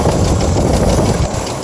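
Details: 1997 GMC Jimmy: rough idle with fast uneven knock under a low rumble, began after driving through a puddle in a rainstorm and persists days later; cause unknown.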